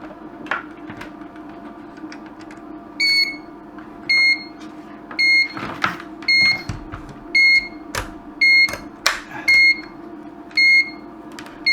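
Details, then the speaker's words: LED dot-matrix scrolling sign powered at 5 V: short high beep repeating about once a second after power-up, suspected to be a voltage drop; wiring the board straight to a bench supply later gave only one beep so far. "hmm so I'm just trying to think what the problem could be now then [Music] it almost seems almost seems like a voltage drop"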